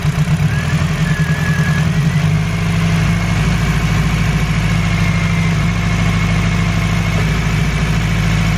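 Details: Honda EG Civic with a suspected injector issue: low, uneven, shaky idle that never smooths out, seemingly one cylinder missing; rough idle, cause unconfirmed.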